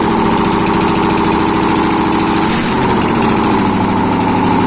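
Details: ZMZ-511 V8 started after a major overhaul, exhaust present: loud, steady idle with an even beat and no knocks or misses; normal idle.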